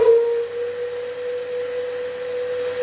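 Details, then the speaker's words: Dyson vacuum, model unknown, making a loud, steady, pure howl over its airflow when switched on or off, caused by a dislodged, loosely fitted side air filter; clicking the filter back in fixes it, and the motor is not failing. "So then it makes it loose like that. Well, that's not a proper fitting, so then it makes that howling noise."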